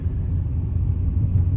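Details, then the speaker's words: Dodge Intrepid at idle with a flashing check engine light after a coolant bleeder housing job: low, lumpy, shaking, stumbling idle; cylinder 1 misfire caused by an unplugged injector connector. "and it's throwing a p 0 201 code which is a a misfire on cylinder one which i'm thinking is caused being caused by a loose connector on an injector"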